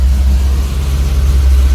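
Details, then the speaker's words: 1000hp Cadillac CT5-V Blackwing, 418 cubic inch, mild 233/251 cam, manual, fuel trims pulling 27%, tuning problems; deep heavy idle rumble swelling and sagging unevenly, rough idle, breaking up on revving. "here it is a breaking up on upon revving you hear breaking up idle's a little tough"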